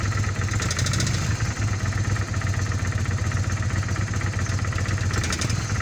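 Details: 1997 Kawasaki Vulcan 800 V-twin with 70,000 km idles with a low, lumpy rumble and irregular light knocking over it; owner asks what causes the knocking.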